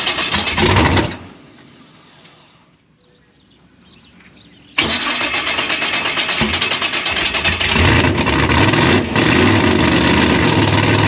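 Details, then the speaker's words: Gasser C10 race engine, carbureted, cold, on startup: runs loud for a second then pops and shuts off, restarting with a rough loping idle; idle mixture screws to be backed out to 1.5 turns as suspected fix. "So upon fire up, it just pops and then shuts off."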